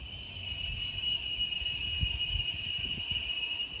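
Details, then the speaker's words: 2011 GMC Yukon with worn brake pads; steady high-pitched squeal from the wheel as the pad wear indicator rubs, signalling a brake job is needed. "these brake pads are designed to have a squeaker on them so when they get worn enough they'll get worn down to that squeaker so you'll have that constant noise all the time"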